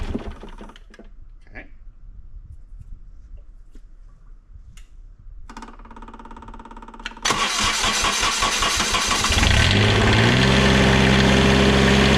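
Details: Onan QuietDiesel 7500 W generator from 2000 Holiday Rambler Endeavor RV, 2400 hours, after full service with new fuel filter and primed fuel line: clicks, few seconds cranking, then catches into an even loud diesel run; healthy start.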